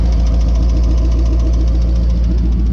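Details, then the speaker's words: Hemi V8 from a 2013 Challenger swapped into an SN95 Mustang with TR6060 six-speed, fully warm idle: deep steady rumble with a faint fast even valvetrain tick, louder as oil thins when warm; owner unsure whether a cam lobe is being wiped out. "once it's really warm you can definitely hear it ticking uh so that makes me think that maybe it's not as bad and it hasn't wiped out the lobe"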